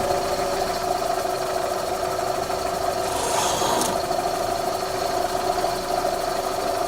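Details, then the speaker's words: 2001–04 Chevy Optra running: a light, even ticking over the engine noise from a worn front CV axle with a torn rubber boot, visibly moving. The axle is to be replaced. "Yeah, I think it's coming from over here. See this? Hold on. Right here. See this CV axle? It's worn, and it's moving."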